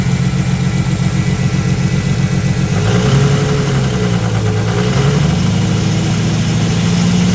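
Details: Nissan Skyline RB25DET Series 2, first cold start after sitting 8 months: loud, slightly uneven idle with a wavering mid-pitch tone rising and falling over the engine beat; noise disappears above 2,000 rpm; source unknown, owner fears engine dying.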